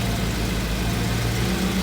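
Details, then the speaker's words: VW Transporter with twin-turbo RS4 V8 after manifold work: steady, even low idle rumble with no ticking or puffing at the manifold joint, old residue smoking off; no exhaust blow, engine sounds sealed and healthy. "that's not blowing. That's quiet."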